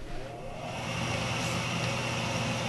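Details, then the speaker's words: Home boiler with electronic glow-plug ignition during an inspection, just switched on: smooth whooshing exhaust/draft inducer fan hum builds over seconds with no rattle or bearing whine; normal start-up before ignition. "the first thing that engag is you can actually hear the exhaust so you exhaust actually is going on we're going to do basically is to take out those gases"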